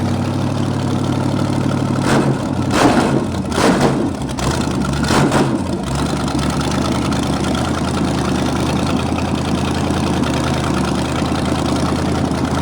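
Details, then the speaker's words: 1973 Canadian truck 350 small-block Chevy rebuilt with a replaced piston and rod, a big cam and fuelie heads, valves not yet adjusted: after a few early blips it holds a steady, even V8 idle with a smooth low rumble and no knocks or misses. "it's done considering that you know valves ain't really set no I mean I couldn't ask for more"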